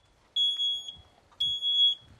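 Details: Photoelectric smoke alarm on test-button press: two loud, piercing high-pitched beeps about a second apart over a quiet room; the alarm sounds properly on test.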